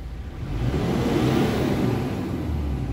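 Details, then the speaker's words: 2018 Mitsubishi Triton HDX 4x4 diesel, about 120,325 km, at working temperature: deep even rumble climbing smoothly past 2000 rpm with no knock or miss; responsive, smooth, almost no blow-by. "RPM sangat responsif artinya mudah untuk melewati batas dari 2000 rpn kita dengarkan suara mesinnya mesin sangat rata halus tidak pincang low by gas atau ngobosnya nyaris tidak ada"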